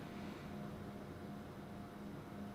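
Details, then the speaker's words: Old bench oscilloscope with six large computer cooling fans ramping up during boot; solid-state IDE drive, no mechanical drive. Soft, even rush of air with a faint low hum that wavers slightly. Normal fan noise. "It has 6 large computer fans on this side. That's what you're listening to right now."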